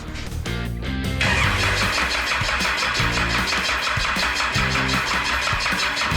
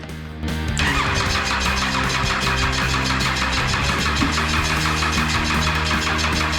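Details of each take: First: Cummins 6BT being fitted to a Nissan GU Patrol with 4L80e, first start after priming the oil pump for pressure: brief crank, fires at once, smoky, settles to steady even idle with no knocks or misses; engine runs fine. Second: Cummins 6BT diesel being fitted into a Nissan GU Patrol, turbo on, fuel lines cracked, oil pump found empty so no oil pressure: starter cranks steadily about seven seconds with even compression pulses but never fires.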